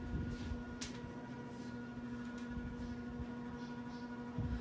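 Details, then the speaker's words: 1980s CEC four-blade hugger ceiling fan on medium speed: a steady, fairly loud low motor hum at one even pitch with no rubbing or ticking; the bearings are still good because it spins down well, and the loud motor is judged acceptable. "still has pretty good bearings because it spins down pretty good it's just the motor is kind of loud but that's okay"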